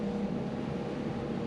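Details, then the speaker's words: 150 hp Evinrude E-Tec outboard on a 2001 Maritime skiff, newly bought and running wrong, before decarbonizing: at about three-quarter throttle a steady, flat drone with no climb in pitch. The engine bogs and won't get up and go. "and you can hear the engine destroyed like I actually have it about three-fourths of the way throttle right now and it just would not go just would not get up and go"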